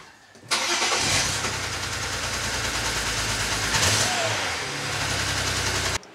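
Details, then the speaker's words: BMW 335i wagon, N54, start after clearing codes that listed misfires on cylinders 1-5: cranks, catches into an uneven lumpy idle, still misfiring; scan shows cylinder one, later traced to a bad injector. "we're gonna check those faults again because it's clearly misfiring still it looks like cylinder one misfire"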